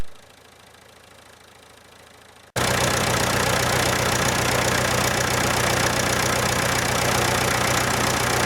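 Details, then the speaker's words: 70-year-old International 275 diesel tractor after injector work, battery boosted an hour and a half so it cranked faster and started; catches and settles into even steady clatter about four beats a second, no misses, normal idle. "so as you can hear it's ticking over nicely I boosted the battery for about an hour and a half and of course it wound over a lot quicker and away it went"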